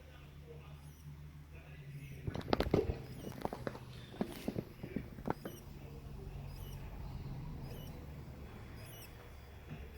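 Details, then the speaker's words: Samsung UN55NU6900 TV power board with bad, leaking capacitors just plugged in: faint high squeaky chirps about once a second from the failing capacitors while the standby light flashes red and the TV won't turn on. "Okay, so we plug the TV to the power. You hear that sound? It's the capacitors."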